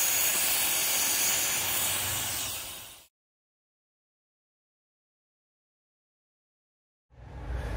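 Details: Gen 3 turbo LS drag car overheated on a test drive: loud steady rushing hiss for about three seconds then stopping, as distilled water and Water Wetter coolant blow out where the hose came off.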